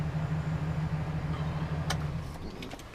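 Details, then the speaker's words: 2007-2011 GMC Sierra 1500 V8 after replacing spark plug wires and adding protective boots; low, steady idle pulse with even beat, no stumble or ticking, no warning lights; normal idle. "no air lights or anything else sounds good"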